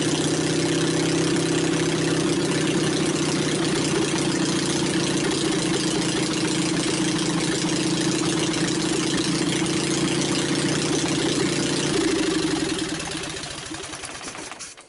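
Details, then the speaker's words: Onan 22 hp opposed-twin engine with a retrofitted points ignition on a temporary setup and a new battery: smooth, even idle for about twelve seconds with no misfires, then winds down; runs well though the starter needs replacing. "I'd say it sounds pretty good course it don't help that uh my ignition wire was laying on top of the exhaust but this is just a temporary setup"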